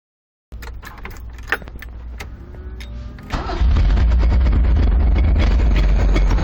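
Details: 1985 Fiero with a newly installed engine that first ran well: after a short crank it catches, then a heavy, low pounding repeats about three to four times a second; a bolt was pulled out through the distributor hole, but the knocking remains.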